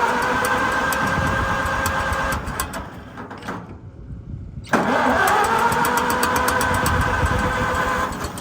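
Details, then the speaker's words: Farmall M gasoline tractor with choke on and a carburetor that is losing fuel: repeated cranking with brief catches that never pick up. Flooded with too much fuel; it later idled but missed a little, and a fouled plug is suspected. "Okay, I got it to pop for a second. It turned out I probably had too much fuel. I think she's a little flooded."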